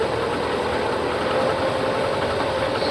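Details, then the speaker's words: 1998 Subaru Legacy pulled from a marsh after hydrolock, with a P0505 idle air control code: uneven, lumpy, ragged idle and smoke from the exhaust. It is running very rich, possibly with a misfire, traced to a water-damaged ECU. "all right yeah try giving it a little throttle definitely is running very rich"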